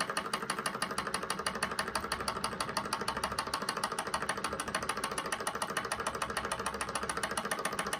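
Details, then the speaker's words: SunnyTech Stirling hot-air engine fuelled with denatured alcohol, started before fully up to temperature. It runs freely with light rapid ticking and rattling and a soft whirr as it gains speed, bouncing slightly on the table. "you can hear that it's bouncing on the table a little if i put my hand on it it's not too bad actually on this table yeah you can hear a difference there"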